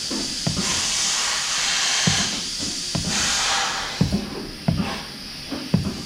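Short sharp clunks of the cylinder firing, each with a brief clean puff and no lingering hiss afterward; actuator sealing properly.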